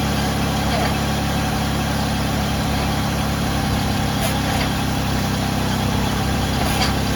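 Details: Ford Freestar engine started after power steering pump replacement: steady deep idle, no clear whine or belt squeal above the running noise; normal idle.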